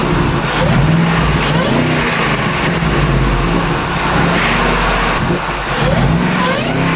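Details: Shelby Mustang GT500 (13-14) after intercooler pump and burnt harness replacement and supercharger oil change fixed no boost; clean catch and smooth strong revs settling back without misses or knocks, running properly.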